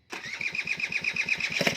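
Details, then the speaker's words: Water-pump engine converted for a boat, reassembled after long standing, no exhaust pipe fitted, hard to start (fuel not yet reaching carb); choking the carburettor makes it catch, settling into quick, even pops about seven a second. "ตอนแรกรถไม่ติดนะครับจอดนานครับโอ้โหยเอาใหม่ครับสตาร์ทมือด้วยครับสตาร์ทนิ้วอ่าน้ำมันยังไม่ลงนะครับมึงประกอบเสร็จเลยอ่าเดี๋ยวลองอุดคาบู"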